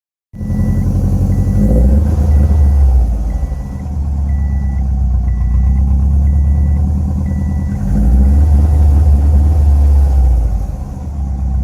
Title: 2007 STI Crazy Idle. Misfire on all 4(2)